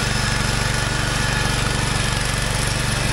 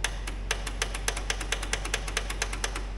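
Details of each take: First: Wheel Horse 416 garden tractor, revived after sitting for years; single-cylinder engine pulling steadily under load with an even firing beat, quiet, no knocks or misses, healthy. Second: Old Wheel Horse garden tractor, sat for years, battery about 12 V, in neutral: rapid dry clicking about five a second with no cranking, a bad starter solenoid whose plastic is melted with a bent stud.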